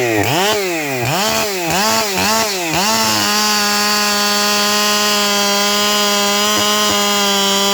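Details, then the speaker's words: 7310 chainsaw testing a chain in the cut: high-pitched scream sagging only briefly with each push into wood, then flat out as if unloaded, though rakers fine and chips large. "But you can hear how the thing's screaming to the moon like it's got no load."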